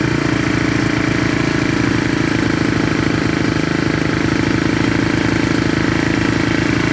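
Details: 1970 Honda SL350 twin, first start during restoration with gas poured down the plug holes, one carb leaking fuel: quick, even, steady putter with no misses or knocks. Engine idles smoothly.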